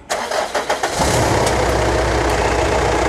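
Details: 2015 Mitsubishi Triton 3.2 diesel started after EGR pipe crack welded, fresh engine oil and fault codes cleared: several quick cranking pulses, then it catches and settles into a steady, even idle with no knocks or misses; healthy.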